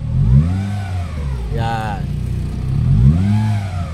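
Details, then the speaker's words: 2017 Honda City 1.5 with the AC on: revs rise and fall with a rough drone and an added hum, worse around 2500–3000 rpm on the expressway. The noise is not the belt, tensioner or pulley bearing but the AC compressor internally. "hindi naman siya sa bearing ng pulley ng compressor ibig sabihin pag natin doon siya umiingay Ibig sabihin po Nasa loob na po talaga ang may problema sa compressor"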